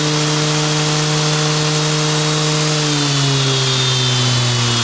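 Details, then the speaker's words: Motor driven by a repaired power supply, speed set by a magnetic pickup on the back of the motor, with tape on the shaft: loud, steady hum with a flapping buzz from the tape, pitch easing down smoothly; runs evenly. "magnetic pickup on the back of the motor determines how fast this will spin oh it's got a little spinning yeah that takes"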